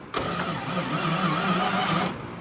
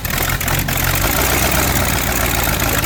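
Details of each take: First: V8 Chevy in a Curtiss P6E replica biplane, unrun for 22 years, cranked after more cable paths were added. Two seconds of slow, even starter drone with no catch; better, but still too slow. The starter also fails to retract. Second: V8 Chevy in a Curtiss P6E replica biplane, unrun for 22 years, started with starting fluid after fine adjustments. A loud, rough rumble that dips briefly on a throttle blip, then comes back strong; it is running.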